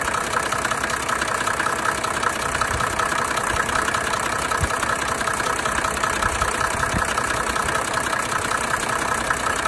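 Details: 1987 Mercedes 300D with OM603 diesel idling with a loud, fairly regular tapping knock through its clatter; cause not identified, owner fears engine is shot, but it still ran daily two years later.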